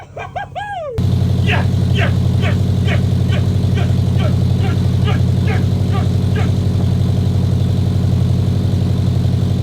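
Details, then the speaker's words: Subaru Impreza starting for the first time in 3 years after a full rebuild: a short start-up squeal, then a loud, steady deep rumble with light even ticking on top. Runs smoothly and healthy. "oh my [ __ ] God she sounds incredible she's running I can't believe it she's absolutely running she's loud but she oh my God oh my"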